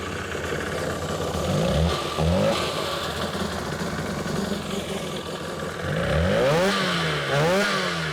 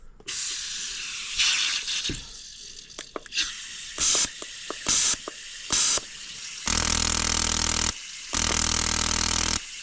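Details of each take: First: 2003 Sea-Doo GTI RFI two-stroke, rear cylinder spark plug wire disconnected and grounded: rough, uneven revving with lumpy clatter, sounding the same with plug connected or not; running on one cylinder. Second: 2003 Sea-Doo GTI RFI fuel injector bench-tested with carb cleaner can fitted to its bottom: sharp hissing spray bursts, short then two long even ones, clean starts and stops; injector spraying properly.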